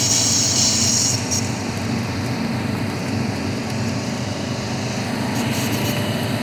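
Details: Subaru WRX: a persistent thin, high metallic brake squeal from the left rear corner, only when turning right with the brakes not applied.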